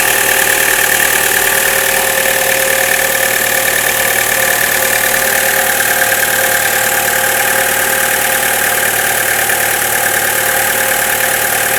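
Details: Chevrolet Cruze cold start: fast, fairly even metallic ringing tick over a steady cold idle, about three per second; disappears after about a minute of running and is absent at 0 °C and above; origin unclear.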